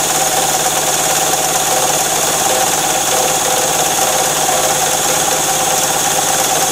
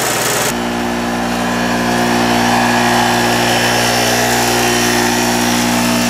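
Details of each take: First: Harbor Freight mini generator, about 7–8 months old, stored with fuel valve open, spun by a drill: steady high drill whine for eight seconds, faint compression beats, no firing; has spark, plug flooded with fuel. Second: Harbor Freight mini generator, previously flooded from storage with fuel valve open, now running an electric heater as load until out of gas: constant even hum holding speed, no hunting or surging.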